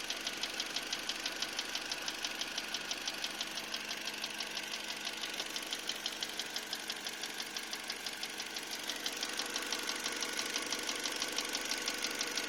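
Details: Engine knock: sharp, even metallic tapping about three times a second over a steady idle; owner suspects the fourth piston slapping or its piston pin, not confirmed.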